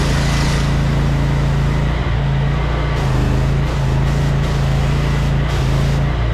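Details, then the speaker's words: Electric-start jetter on a trailer, running with water supply connected after being choked and started: steady low engine drone with an even firing beat, no stumbles or knocks; normal running, sounds good. "that thing sounds good man"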